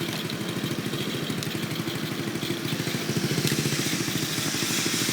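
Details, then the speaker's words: Go-kart with reverse, small engine started with a weak battery: quick, even, quiet single-cylinder putter at three to four beats a second, settling and steady; normal idle. "quiet you can barely hear it but it's act it's not a great feat but it has reversed"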